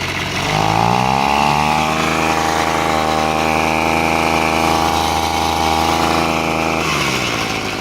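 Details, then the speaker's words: Echo handheld two-stroke blower, reported running slow, air cover missing: idles fine but revs to a flat buzzing tone that never climbs hard; no power, later traced to carbon-clogged exhaust port beyond the spark arrestor. "It just doesn't have any power. Obviously there's no restriction over here from like a clogged air filter or whatever, because there isn't one."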